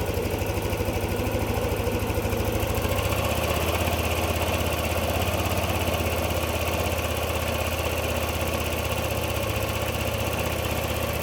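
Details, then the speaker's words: Yamaha NMAX 155 V2 after replacing the CKP sensor, repairing its wiring and derusting the magneto: starts easily on one click and holds a low idle, but the beat is uneven and lumpy. Rough idle still unresolved. "Kung mapapansin niyo hindi na nga hirap paanderin ang motor. One click na nga ito pero may problema pa rin sa idle."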